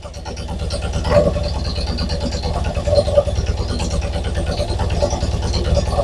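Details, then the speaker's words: A twin-cylinder carbureted engine has a lumpy, uneven idle with a skipping beat, running on about 1.5 cylinders with no suction at the carburetor. One cylinder tested lower on compression; a leakdown test is planned, and the cause is unconfirmed. "sounds like it's running on 1.5 cylinders again."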